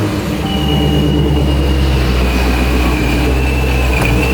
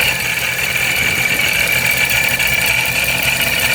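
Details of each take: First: Procharged Dodge Scat Pack after shop inspection: steady high supercharger whine over smooth, even idle, no knocks or grinding; shop says not bad, sound varies while blower breaks in; normal supercharger whine. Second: Procharger supercharger on a Dodge Scat Pack 392: a steady, high-pitched gear whine with a gritty edge above a quiet engine. Supercharger oil not yet checked; owner unsure whether the gears are breaking in or faulty.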